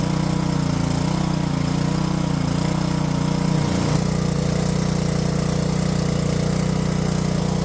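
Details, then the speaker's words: Junked Honda-powered Homelite pressure washer, after carb cleaning and a float-valve check, drones steadily, then dips and recovers in an erratic speed hunt; the owner suspects bad gas and swaps in fresh fuel. Engine surging. "Alright, that's definitely doing something weird. Could be bad gas? I don't know."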